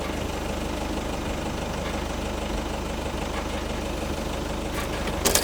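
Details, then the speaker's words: LDV Delivery 9 diesel van just after oil, oil filter, air filter and fuel filter service; air in fuel lines may need extra cranking: steady low diesel clatter at even idle, no misses or hunting; normal idle. "Don't be surprised if it doesn't start first go if it cranks a few extra turns just cuz there'll be air in the lines, but it'll purge itself back out when it recirculates and you might hear some like air bubbling sounds coming into the tank."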